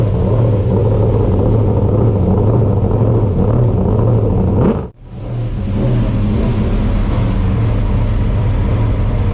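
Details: Race car V8 start-up after being brought back to running, cold weather, in heated house garage: deep steady rumble with a brief rev dip then settling; runs fine, owner thinks exhaust may be rattling a little.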